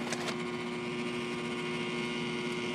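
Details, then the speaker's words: Trane 7.5-ton rooftop unit after a tripped flame rollout switch was reset, new inducer motor energized: steady electrical hum with fixed tone and no fan whoosh; inducer motor seized, locked up badly. "I don't know if you guys can hear it but that new motor is locked up locked up pretty bad so"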